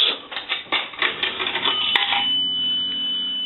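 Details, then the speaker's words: Automatic Electric three-slot payphone after repair and conversion, coin validator checked: a few coin rattles and clicks, then a single clear bell strike rings out, one chime for a nickel, working properly. "we want to take a nickel and that's going to ring the bell"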